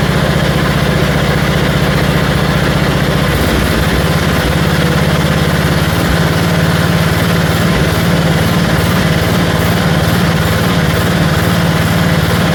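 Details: 1974 Dynastar lawn tractor after revival from 30 years sitting, engine freshened, magneto coil replaced: single-cylinder with slow, uneven rise and fall in speed about once a second; engine hunting, owner thinks more carburetor work is needed.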